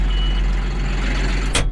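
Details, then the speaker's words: 2022 John Deere 5065E tractor starting on a 92-degree day, with clutch and brake in and AC and lights off: the diesel fires and runs with a deep, even rumble, then a single thump. This is a normal start. "You know, starters take quite a bit of juice, so you turn your key, let's fire it up."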